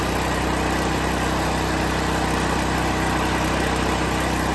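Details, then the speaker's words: Liquid-propane generator powering a well pump, just started with choke lever on start then switched to run: steady, even engine drone with fast regular beat, no surging or misses; running smoothly. "to clarify she runs but you don't need to put the carburetor on run i'm sorry on start you put on run and presto magicio she's alive"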